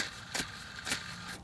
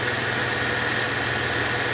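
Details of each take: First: Mercedes E320, idler pulley spun by hand with the belt slack: a rough, gritty hiss that surges as it turns. Worn idler bearing, being replaced along with the tensioner. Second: Mercedes E320 idling right after a new belt tensioner and idler pulley replaced a noisy used junkyard tensioner: an even hum with a smooth hiss and no chirp or squeal from the belt area, a normal idle.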